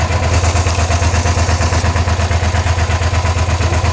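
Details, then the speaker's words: V-twin motorcycle idling near 1500 rpm, heard from the rear: slow, heavy chuffing pulse because the front cylinder is dead, misfiring from water entering the exposed front spark plug hole. "As you can see from the back, we are having a misfire."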